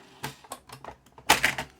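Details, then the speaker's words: BASF LH90 or LH Super 90 screwed-shell cassette rewinding in a known-good deck: irregular bursts of sharp clattering clicks, loudest as one spool nears the beginning of the side; rattle inside the cassette shell suspected. "so it seems to be when one SPO when it's getting to the beginning of the side it that's going to make a racket"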